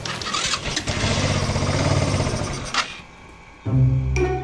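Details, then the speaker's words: Fekon Rev X 125 motorcycle, converted to DC stator, with a fully charged battery: engine fires and runs roughly for a few seconds, then dies; stalls when throttled; carburetor uncleaned for years. "Ayaw talagang umandar at namatay talaga siya."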